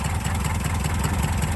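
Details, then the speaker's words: 1984 Subaru Brat (84 or 85) EA81 flat-four, sat about 10 years, now revived: low even idle pulse, steady loudness, no knocks or misses, hardly smoked when revved; timing a little off; normal idle. "She's firing on all cylinders. Her timing's a little off. she hardly smoked when you revved her up."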